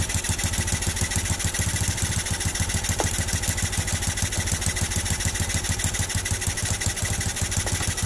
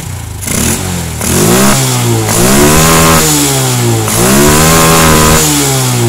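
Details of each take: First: Honda Revo Absolute/Blade carburetor adjustment, throttle at 1/8, air screw turned fully in: low lazy idle around 200 per minute with irregular stumbling beats, nearly dying; near-stalling idle from over-rich mixture. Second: Carbureted Honda Revo Absolute/Blade after the air screw and idle screw were adjusted for fuel economy: crisp throttle blips that climb and drop back cleanly to a steady idle. Normal revving.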